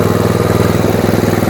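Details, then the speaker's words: Tecumseh Snow King snowblower after summer storage, choke on and primed, fuel dripping from carb: steady even single-cylinder chug with auger engaged and turning, no misses or knocks; runs healthy under load. "Fuel's now dripping out of the carb from priming. And that sounds good. Heat. Heat. Auger works well."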